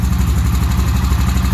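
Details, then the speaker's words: 2003 Honda Rancher 350 4x4 ATV, parked 17 years, carb float bowl cleaned: an even, low thumping idle at about seven or eight beats a second, no knocking or tapping, runs really well; normal idle. "no knocking or tapping this runs really well"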